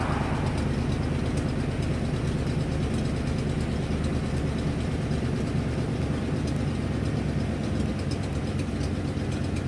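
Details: 1997 Ford F250 with 7.5 L 460 V8 idling with a deep, steady rumble and a faint, quick ticking from an exhaust leak.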